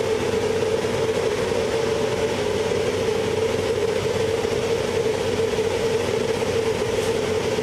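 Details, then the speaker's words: 1412 BS6 diesel truck, formerly rev-limited with codes P0403-00 and P042E-00 and a stuck EGR valve, after soot-mass reset and fault codes cleared: a steady loud roar held at high revs, even, no misses or knocks. Revs fully now; smokes from soot; new silencer pipe fitted. "तो दोस्तों ये गाड़ी पूरा भी race हो रहा है और यहाँ पे धुआं भी मार रहा है क्योंकि सूट मास जो है लीक हो रहा"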